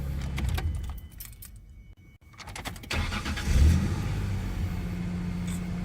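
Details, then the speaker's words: 2001-2003-era Ford Ranger with hard starts and P0171 code, after fuel pressure diagnosis now holding about 52-54: short crank, engine catches at once and settles into steady even idle; normal quick start. "i'll report back see if she continues to start well and after all said and done the startup beautiful"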